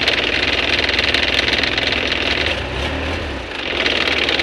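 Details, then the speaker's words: Isuzu Panther 2.5 diesel with messy fuel lines, won't hold idle, shakes heavily and stumbles on throttle despite full tank; uneven loping idle about four beats a second, suspected fuel starvation, not confirmed. "mobil ini ketika kita starter Tidak mau langsam Tidak mau posisi idle jadi seperti tekor minyak Jadi bukan jualan saja yang pakai tekor minyak bisa tekor kita coba untuk hidupin posisi mobil ketika ide itu sangat bergetar"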